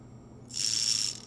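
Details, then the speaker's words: Furitek MicroSilk combo (MicroPython ESC with Mini Komodo pancake brushless motor, 3S capable) for an Axial SCX24, bench-tested before install: a thin high-pitched whir held steady at very low throttle, smooth and healthy. Normal low-speed spin. "And then if we go ahead and spin that, we can see, oh yeah, look at that. Ooh, look how slow that"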